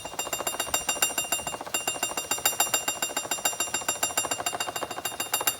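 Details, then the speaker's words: Chevrolet Celta engine running: light tinny metallic rattle about three to four times a second, from a loose timing belt cover touching the pulley below; the cover should be replaced, as it risks breaking the timing belt. "Se o seu carro tá fazendo um barulho de de algum ferro balançando quando você tá com ele ligado, é, pode ser esse problema aqui, ó. A capa da correia, ó."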